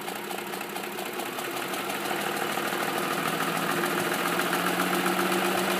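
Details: 2005 Ford F-150 SuperCrew 4x4 5.4L V8 at 126k miles, idling; steady light top-end tick about four per second, persisting since 88k despite all cams replaced; burns a quart of oil per 4k, no power loss; owner suspects cam phasers, unconfirmed.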